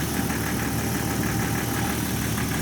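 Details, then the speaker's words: Jeep six-cylinder idling with a DC-powered hydrogen generator and newly fitted 12-hole injectors replacing badly worn originals: steady petrol idle with a fairly even beat and no sharp tapping; quieter and smoother with the hydrogen. "but yeah honestly running with the hydrogen it is quieter smoother and i guess"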